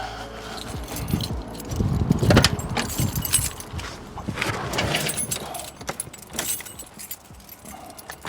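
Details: 1989 Ford Mustang GT first start after sitting over 10 years, fresh oil, fuel flowing through rail and return: over clatter and handling noise, engine cranks briefly, then fires and keeps running; engine starts and runs.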